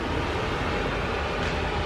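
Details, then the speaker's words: Polaris Predator 500 ATV after carburetor clean and idle adjustments (it had been idling up earlier): steady, even idle with cooling fan whooshing, no surging or hunting; normal idle. "you hear the fan going i had to do a little bit of adjusting where it stayed running where it ain't allowing up"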